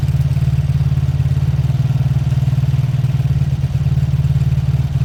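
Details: Beaten-up old Lexmoto single-cylinder motorcycle with many parts missing, after carb spray clean, warm-up idle for oil circulation: quick even thudding about four beats a second, no knocks or misses; normal healthy idle.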